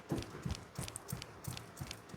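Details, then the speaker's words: 2001 Ford AU Fairmont on a lift: dull clunks about three a second as the front upper ball joint is rocked by hand, free play in the worn joint causing a knock; joint being replaced. "yeah you can hear there's a bit of play in there so we need to get the pinch bolt off"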